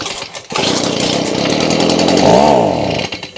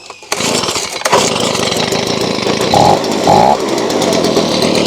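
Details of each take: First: Stihl BG55 two-stroke leaf blower, bought used around 2020; starts, climbs unevenly, briefly surges, then sags and dies, won't switch to high revs; owner suspects clogged carburetor with fuel starvation, before carb cleaning. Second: Stihl BG55 two-stroke leaf blower after carb cleaning, started on choke with fuel bulb primed: buzzes steadily, picks up cleanly on throttle blips without stumbling; normal running.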